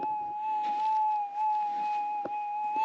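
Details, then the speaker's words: Minelab GPX 6000 metal detector just switched on and ground balanced, held four inches above ground: steady mid-pitched threshold hum drifting slightly up and down; wavering threshold tone, which lowering sensitivity can smooth. "with the headphones on this is much quieter and i got the volume up pretty loud and it's always going to have that little bit of wavery sound to it"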